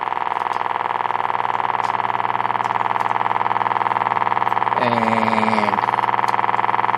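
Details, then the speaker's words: 1952 Peter Pan GKJ valve radio on first power-up: steady low putt-putt about four times a second through the speaker; motorboating caused by extremely leaky electrolytic filter capacitors, to be replaced. "doesn't it well hmm sort of like motorboating I guess um I mean I first thing to do I think is um get some new um electrolytics in there"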